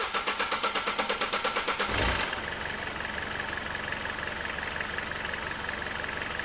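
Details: Astra van diesel with a manual injection pump, after refitting the alternator and battery, charging at 14.4 V: about two seconds of even cranking, then it catches and settles into a steady, slightly clattery idle with no stumble.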